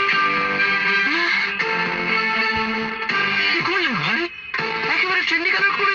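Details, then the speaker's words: CRT TV sound after bypassing an audio IC that distorts when hot by rerouting the mic line: music and singing play cleanly with no crackle, hum or distortion; clear audio output after the fix. "তো এই মাইকের লাইনটা খুলে দিলাম, খুলে দিয়ে এটার থেকে যে মাইকের লাইন দিছি, দেখুন এতে কি সুন্দর ক্লিয়ার।"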